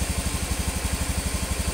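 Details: Honda Beat FI (Beat ESP New) single-cylinder scooter idling after piston replacement; before, stuck oil and second compression rings caused oil loss and harsh noise at the front of the head at 4000–5000 rpm. Now about nine even pulses a second, no clatter, healthy.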